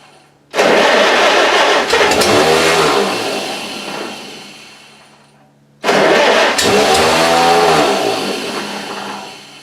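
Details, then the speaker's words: Farmall H snow-plow tractor, starting: two cranking bursts, engine catches briefly then starter spins freely down; Bendix starter drive kicks out as soon as it fires once. "It likes to kick out, crank it over, and then as soon as it fires once, the Mendix will kick out, and then I gotta wait for it to spin down before I can try to start it again."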